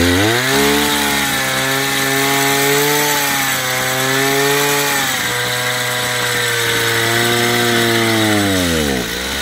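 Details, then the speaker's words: Chinese two-stroke brush cutter after carburetor adjustment (fuel, idle, and top speed set near 9,000 rpm by ear): a high, clean scream rising and falling smoothly with the throttle, no stumbling or bogging. Carburetor correctly set; normal running. "После того, как отрегулировали, в принципе, настройку карбюратора можно считать законченной."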